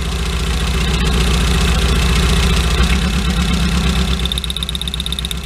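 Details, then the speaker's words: 2008 Chinese-built TMAG mini truck engine after spark plug work: low, lumpy idle with an uneven beat, about four pulses a second; firing on all four cylinders but still running rough. "yeah so it rubs on all four [Music] let me try grabbing that gas pedal with this here still everything's a little rough"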